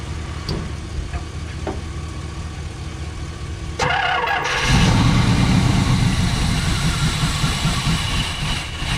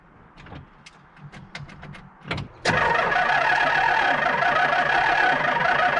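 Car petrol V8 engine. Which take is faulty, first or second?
second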